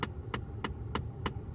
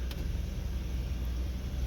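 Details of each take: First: 2011 Ford F-150 with temperature set fully cold: sharp even clicking behind the dash as the failing AC blend door actuator's potentiometer can't reach its end limit; fixed by replacing actuator (YH1933). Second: 2011 Ford F-150 after replacing the AC heater blend door actuator, set to full cold; steady low engine and blower rumble with the old clicking gone.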